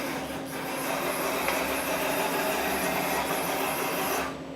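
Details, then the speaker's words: Milltronics VKM4 3-axis CNC mill with a new control computer, after homing, table jogged along the Z and Y axes. Smooth, even whirring rasp while traversing, with no knocks or grinding, fading as motion stops; normal servo noise. "just normal servile noises"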